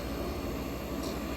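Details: 1965 Weather Wheel vintage air conditioner with classic Tecumseh AJ compressor, back in service after annual inspection, running on a separate fan and already getting cold; smooth, constant air rush over a low, even compressor hum, no rattles or squeals; normal running.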